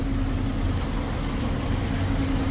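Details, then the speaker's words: Toyota Vigo 2KD diesel, 300,000 km, after injectors were removed and refitted but before injector relearn: steady, even idle with a constant low rumble and no stumble or shake; the mechanic warns not to trust this idle until relearned. "ออกไปวิ่งก่อนแล้วค่อยมาเดินนิ่งหัวฉีดนะครับถึงจะจบงาน100%เดินนิ่งอย่างงี้อย่าไว้ใจนะครับเพราะว่าหัวฉีดถอดออกครับ"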